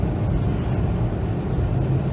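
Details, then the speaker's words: 2018 Lada Vesta Cross 1.8 AMT at about 3,000 km, driving at speed up to 120 km/h: steady even engine drone with no knocks; earlier unpleasant sound gone, engine now pulls eagerly. Normal engine running while driving. "То есть совсем двигатель стал прям такой радостный, не знаю, приятно поющий, противный звук ушел, который раньше до"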